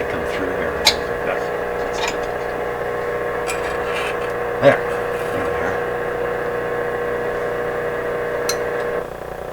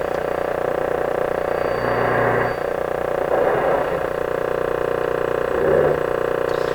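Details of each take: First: Westinghouse 981X shortwave receiver after replacing the defective output transformer, restoring push-pull output, mains around 100-106 V, on the broadcast band: steady hiss, faint station and low hum without crackle or distortion; audio output working normally. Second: Westinghouse 981X shortwave receiver on a dim-bulb tester during output transformer replacement, raised to full voltage and tuning near 640: steady low hum with rushing swells every second or two; source unidentified.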